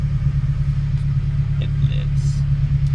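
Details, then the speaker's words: Honda Civic Si with K24/K20 swap, 136k miles, just started after an oil pan swap and refill, coolant 154°F, 74°F outside: low, steady four-cylinder idle, no knocks or ticks, smooth. "So far so good. I have 136 for mileage. I forgot what it's like to have a vibration."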